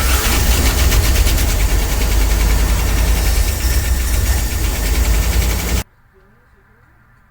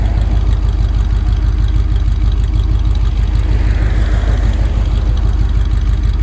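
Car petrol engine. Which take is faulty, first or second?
first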